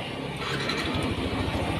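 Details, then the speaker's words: Yamaha NMAX 155 after replacing a stiff small bearing (cam/noken-as area) that caused a clacking noise: steady, smooth idle with even low pulses and no tapping or knocking; normal. "oke suaranya kembali normal adem seperti sediakala"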